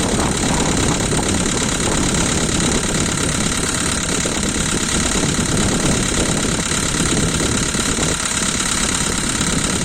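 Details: Volkswagen Polo 2012, 1.6 CFNA engine, cold start idle: fast, uneven ticking clatter, one lifter slapping loudest and a couple faintly; hydraulic lifter tick that stops once warm.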